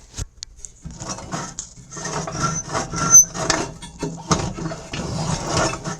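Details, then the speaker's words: Murray PRO snowblower, auger belt off, shear bolts removed, auger turned by hand: uneven rough rumble with scraping bursts on each push from the rear; growl traced to the front auger input shaft bearing. "I'm going to split this unit because we got a growling noise going on back here that I don't like sure we can hear it"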